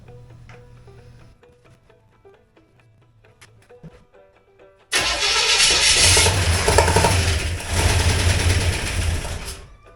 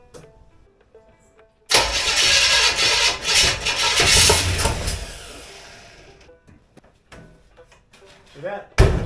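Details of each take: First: Chevrolet 283 V8 with a 2-barrel Rochester carb, after ignition timing was turned clockwise following a failed start: quiet ticking, then the starter catches and the engine fires into a strong, steady idle. It runs. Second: Chevrolet 283 V8 with a 2-barrel Rochester carb, after ignition timing was adjusted: a few seconds of loud, uneven cranking that fades without catching, sounding worse. Owner suspects timing and plans to turn the distributor clockwise.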